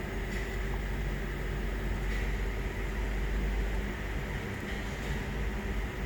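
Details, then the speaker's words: 2007 Lincoln Town Car V8 at idle with codes P0300, P0351, P0352, P0354, P0357: uneven idle with irregular stumble; power balance test traces the misfire to faulty cylinder 7 ignition coil. Misfire at idle. "गाड़ी में miss fire है गाड़ी start है अभी और आप देख सते य गाड़ी मिस फयर का रही है"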